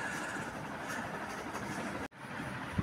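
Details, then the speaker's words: Household fan after bearing service, running normally with only even air rush, no squeal, knock or earlier loud noise. "Kipas berpusing seperti biasa dan tak ada dengarlah dah bunyi bising macam tadi tu."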